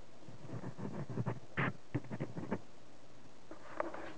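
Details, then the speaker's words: Fender Bassman 10 amp, about 40 years old, speaker driver pushed by hand: short dry scraping each time the cone moves; rubbing from voice coil or suspected accumulated mouse debris; unconfirmed. "now it's either the voice coil rubbing but I think it may be some accumulated Mouse stuff in there"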